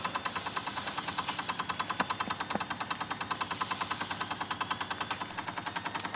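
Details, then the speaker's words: Wilesco D6 model steam engine after whistle opened to drain boiler pressure: even, crisp ticking at about three beats a second, a deliberately slow pace from low boiler pressure. "I'm going to open the whistle up a little bit here to lose some pressure we'll see how slow we can get the engine to [Applause] run"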